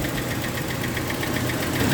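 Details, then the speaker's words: Toyota gasoline engine with a hard-start complaint (starter just clicks at times), new battery fitted, alternator 13.8 V, warming up. Steady, even idle with a regular firing beat and no miss or stumble; engine runs smoothly. "So ang ganda ng engine. Walang problema sa kanyang menor. Hindi po palyado."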